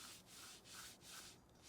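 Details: Toyota Prado 150 wheel bearing, removed and turned by hand: dry gritty rasp swelling and fading each turn; bearing contaminated by muddy water from bog holes, worn.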